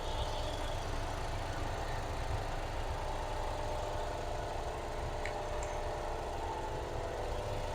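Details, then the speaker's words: 2010 Kia Soul at 100,000 miles, just after a service with new timing belt, tensioner and water pump and the radiator bled: a quiet, even idle with a soft steady hum and no ticking or knocking. It sounds very good. "Sounds very good. Sounds very, very good."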